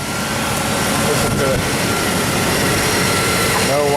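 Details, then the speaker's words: 1999 Chevrolet Tahoe after repair for a P1345 OBD-II code: loud, smooth, even idle with steady fan rush and no whining or irregular beat; normal idle. "and you'd never know this thing had a problem. I mean, it's running just as smooth as"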